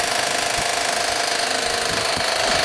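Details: Fan on start-up: harsh, rapid, hammering clatter stays loud and steady; loud knocking rattle, cause unclear.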